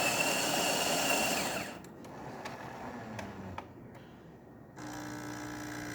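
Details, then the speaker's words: Jura A9 espresso machine test shot: grinder regrinds, steady high whir, then soft brew-unit clicks and pump hum as it pours the second serving; normal grind and brew cycle. "It's going to grind 2 servings of espresso. Here's the first one. Now it's going to dump that out and regrind."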